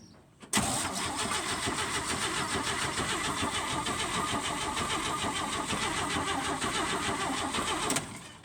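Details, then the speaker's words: 1966 GMC pickup, 250 cu in six-cylinder with SM420 four-speed, first start attempt in over 10 years (last tagged 2005). The starter cranks steadily for about seven seconds without firing; the electronic ignition was disconnected. "absolutely nothing yes absolutely nothing but that's a good sign well well I can tell you why why look the water are going to this electronic ignition is gone"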